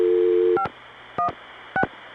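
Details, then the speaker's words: Noisy New York 6 trunk on a satellite-routed call via Atlanta: low steady hum and hiss under short MF tone bursts drown the register sender detail; noisy trunk circuit, quieter the next day. "The New York 6 trunks are so noisy today that I can't hear any details of the register sender. This is really ridiculous."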